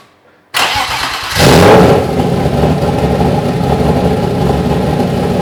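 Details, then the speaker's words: Turbo-conversion BMW M50/M52 straight-six after new high-output coils and a 4-bar MAP sensor, fuel pressure set to 3.5 bar, coolant not yet added: starter whirs, the engine catches and flares, then holds a steady high idle of about 1300 rpm, meaner-sounding than before. "It's lot meaner sounding than it was previously. Yeah the idle is totally different. it was 1300 RPM first. Yeah the idle was quite high."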